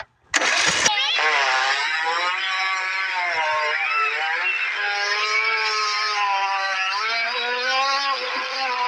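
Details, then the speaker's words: Craftsman riding mower, sat for years, cylinder likely full of varnish-smelling fuel, plug out and PB sprayed in: cranking to purge, brief bang then steady high-pitched starter whirring with wavering tone, engine turning without firing, expelling nasty stuff. "I'm gonna turn the key and uh we're gonna see if it throws a bunch of nasty stuff out or if anything it all works"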